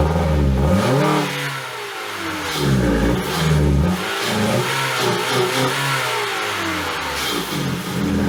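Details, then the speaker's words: 2012 Ford Fusion engine that sat three years with no hood and full of water; revs up and drops back repeatedly with a gravelly note, running fairly decently after the frozen electric throttle body freed up. "this car has not run for three years with no hood at it it was full of water still fired up and ran decent"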